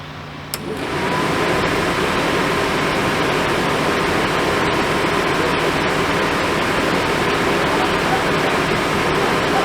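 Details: Furnace blower after a mouse was found in the squirrel cage fan, which had caused a terrible noise; fins and motor mounts look good. The blower spins up within a second to a smooth, steady airy rush with no scraping, ticking or wobble; healthy running.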